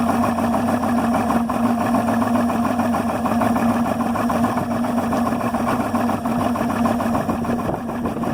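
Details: Yamaha 300 HPDI outboard idling at 400-500 rpm with a rapid, slightly uneven rattling pulse over a steady mid-pitched drone; rough idle, cause unknown.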